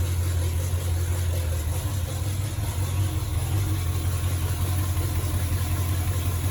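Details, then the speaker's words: 1951 Chevrolet truck with a 350 small-block V8, just started for the first time after fitting a working distributor: deep idle with an uneven, lumpy beat. The rough running is from unset ignition timing, to be set to about 12° BTDC. "so first thing is i'm going to get the timing set and to do that i'm going to pull the vacuum line off of the distributor plug it up and then set the time into probably about 12 degrees before top dead center we should hear the idle uh considerably smooth out more than it is right now"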